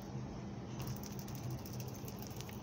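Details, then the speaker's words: New PCV valve for Suzuki Esteem/Baleno, shaken by hand: quick bursts of crisp clicks as the internal valve rattles loose; moving freely, unlike the old one that was stuck and broke on removal. "Ella nueva, mire cómo suena. Ella suena libre."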